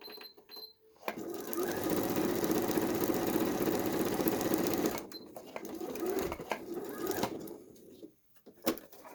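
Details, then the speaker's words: Janome 2030QDC computerized sewing machine after servicing with spray lubricant and grease: even, steady whirr with quick regular stitch tap, no knocks or grinding; runs perfectly smooth. "You can see now, huge different machines. It's running perfectly smooth. Big different so far."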